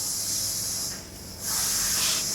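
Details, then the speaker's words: Vintage GMC motorhome, rear wheel spun by hand while jacked up during a brake and bearing check: a soft, even swish of light brake drag, which is expected at the rear. This wheel needs the most adjustment, and worn rear bearings are to be pulled. "The rear brake should drag, so this one needs the most adjustment."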